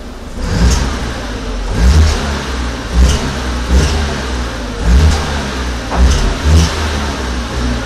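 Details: VW Passat 1.8T, cold engine under load: rough crunching rasp swelling on each throttle blip from the back of the engine near the turbo or combi valve, with power loss; gone at 70–80°C; secondary air fault code; cause unknown.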